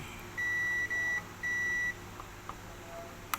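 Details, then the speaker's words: Multimeter continuity test measuring directly across the FET legs on the backlight inverter of a dim Panasonic 60-inch TV: three short, steady high beeps, then quiet. The FET is not shorted. "Nah, untuk memastikan fet itu tidak short, kita ukur langsung pada kaki-kakinya. Tidak mengandalkan hitam ke body ground."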